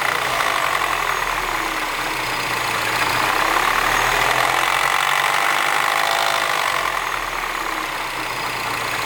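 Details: R56 Mini Cooper S, morning cold start: cold idle with a fairly even busy metallic rattle and clatter over the engine; abnormal noise when cold, cause not identified.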